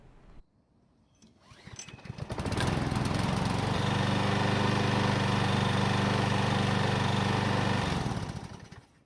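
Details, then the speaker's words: Troy-Bilt walk-behind mower stored for years, likely without storage prep, restarted after topping up the gasoline. It pulls over, catches and settles into a steady run with a faint light tapping under the exhaust beat; slight rod knock. "so the good news is that the engine start starts reliably and runs well enough however you already know the bad news and that is it's got a little rod knock but is it really a bad thing"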